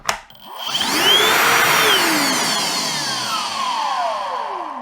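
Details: Milwaukee Packout cordless vacuum, previously dead, with its partially faulty fuse bypassed by a wire and the motor tested out of the housing: whine climbs quickly to a steady high pitch, then winds down; motor runs freely.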